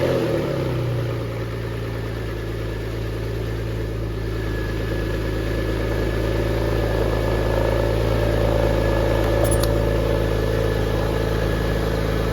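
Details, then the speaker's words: Porsche 911 (996) flat-six, start after a five-year restoration: a steady, even idle with a smooth low drone and no knocks or misses, settling quickly and sounding healthy. Left-hand exhaust tip is loose. "Okay, so it stinks, as you can imagine. That left-hand exhaust tip is also loose. So that'll probably flop down, but it sounds good."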